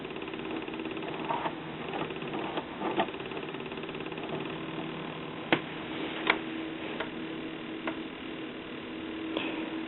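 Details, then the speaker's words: 1974 RCA 9-inch black-and-white tube TV with no vertical deflection: sharp, slow ticks about once a second over a low hum from the vertical oscillator, which runs very slow even with the vertical hold turned to the end. "now I can hear that high high paste uh ticking sound that's the vertical and when I turn the vertical hold control you see that's running very slow low"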